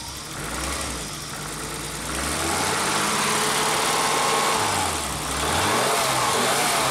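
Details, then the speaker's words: 40-year-old BMW started after fitting a cheap Chinese auxiliary pump that feeds the main fuel pump, straightened to seal: even idle with clean rev blips, no misses or knocks; engine runs like new. "I idemo sada da palimo automobil. Motor radi ko nov, drugovi, vide."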